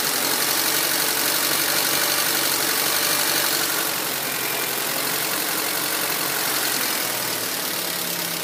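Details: 2004 Honda Civic LX (7th gen), warm engine, fault began months ago: low, uneven idle with a slightly lumpy beat under steady hiss; rough idle, RPMs drop, shakes and sometimes stalls in traffic; O2 sensor suspected, IAC valve also suggested, unconfirmed.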